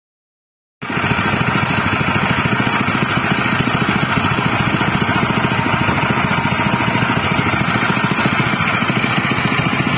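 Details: General CX200 6.5 hp, 196 cc single-cylinder air-cooled 4-stroke OHV petrol engine (pull start, 20 mm shaft): fast, even chugging beat with no misses, knocks or hunting. It is running normally and fairly smoothly.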